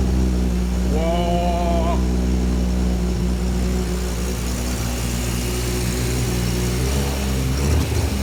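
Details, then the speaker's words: 1984 Ford Falcon XE wagon, turbo Barra engine with intercooler and Haltech Elite 2500 ECU, first start: low drone with uneven lumpy pulse about four a second; runs poorly on untuned setup, awaiting a tuner. "we've already fired it up it does go not very well but so it's about time to hand it over to a tuner"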